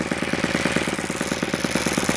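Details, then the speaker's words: YS FZ63S supercharged glow engine after rebuild (replaced throttle barrel seal), APC 12x8 prop, Omega 15% fuel: even popping idle, roughly eight firing beats a second, no misses or surging; healthy tick-over. "You can see these YS engines will just tick over at whatever RPM they're at."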